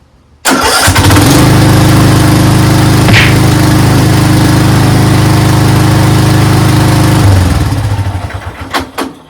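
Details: Craftsman 13.5HP 30-inch riding mower engine, started after a valve lash adjustment (exhaust valve lash was well out): catches almost instantly and settles into a steady, even single-cylinder thump, then shuts down cleanly; easy start.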